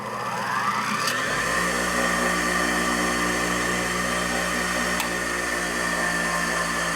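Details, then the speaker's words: 1920s Champion Blower & Forge 50-E bench drill press with 110 V Westinghouse 1/4 HP motor, unrestored: spins up within a second to a smooth, quiet, steady hum with no grinding or rattle; motor and bearings sound healthy. "yeah that's the only other motor I got that sounds real nice and quiet with these old motors"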